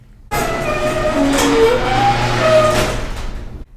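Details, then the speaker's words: Garage door gives a loud tonal squeal with wavering pitch over a rumbling movement every time it closes; cause not confirmed, lithium grease spray planned to quiet it. "hey what's up my friends oh my garage door emits a loud squealing sound when it closes here have a listen"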